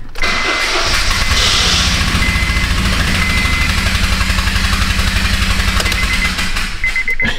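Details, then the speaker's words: 2009 Honda Fit 1.5, 161 on the clock, towed in: engine runs with a loud, fast, raspy puffing tick on every firing, like an open exhaust leak, from a spark plug that unscrewed and blew out of the head. "pretty classic sound uh that is the sound of a spark plug falling out getting blown out unscrewed itself out something happened there"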